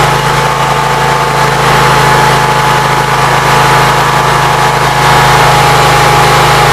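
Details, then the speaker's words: Briggs & Stratton Vanguard V-twin with Briggs carburetor, cold, run only 5–10 minutes after rewiring, about 50°F outside; constant even drone, steady hum, no stumbling or surging, charging voltage about 13.3–14; normal idle, everything working. "Everything seems like it's working. I have no complaints. Runs pretty good."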